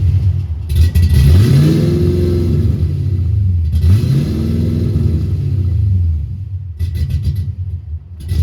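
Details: 1990 Ford Mustang LX 5.0 V8 (GT-40P heads, 30 lb injectors) that would not start; bad EEC power relay swapped: it fires up lumpy and stumbling as it revs, like four or five cylinders. Owner suspects heavy fuel glugging; several MAFs and computers tried, possibly a harness fault.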